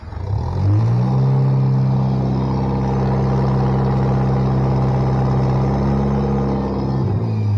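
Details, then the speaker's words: Bobcat 642B at about 1447 hours, after head gasket replacement, sat overnight, started with choke. Smooth, even idle, no more smoke, faint hydraulic pump whine because it's in park; normal idle. "no more smoke runs pretty smooth you can probably hear the hydraulic pump lining a little bit that's because i got it in park"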